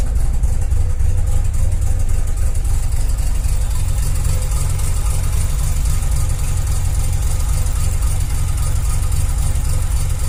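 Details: 2001 JDM Mazda RX-7 FD3S rotary engine with rough idle: deep, uneven, lumpy pulse that never settles, while the boost gauge needle shakes.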